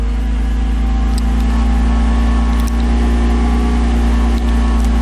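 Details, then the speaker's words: 1991 Mercedes-Benz 300SL (R129) at idle after fixing a loose alternator pulley that caused knocking and grinding; with the belt back on, a steady, even low hum with no knocks, squeals or chirps: normal idle, noise gone. "Alright, got the belt back on. Alternator seems to be working just fine. No more noises."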